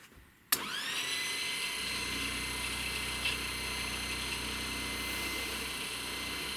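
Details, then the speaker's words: Boat's brushed electric motor, rebuilt to cut vibration after magnets came loose: sharp start then steady high whir at even pitch, no catching or abrupt stop; brush heard rubbing, motor spins freely. "all right well that just sounds like the the brush is rubbing"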